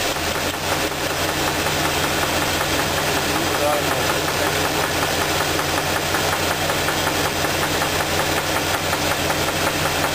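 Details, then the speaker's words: Four-cylinder petrol engine idling with a steady, uneven knock about three a second, traced to cylinder 2 by pulling plug wires. The cause was a spun, separating rod bearing with a rough crankshaft. "now that we determined that the knocking noise is coming on number two cylinder"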